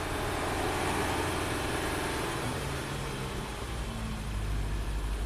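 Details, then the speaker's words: Nissan Sentra after a shorted 5V reference repair, with a duct-taped intake air tube and possibly missing hoses: idle sags lower and turns uneven with a faint hiss; short-term fuel trim is about 25% lean and it stumbles; vacuum leak suspected. "we'll drop down the RPMs 1920 25 percent running lean started stumbling"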